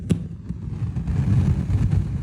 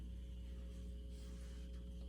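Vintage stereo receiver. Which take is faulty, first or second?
first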